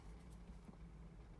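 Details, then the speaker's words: 1983 Ferrari 308 QV under restoration, engine off, fuel pump relay bridged with a jumper lead: quiet, steady low hum from the electric fuel pump with no surging or rattle; pump running normally before fuel delivery testing. "should hear outside the pump, you can hear the pump going."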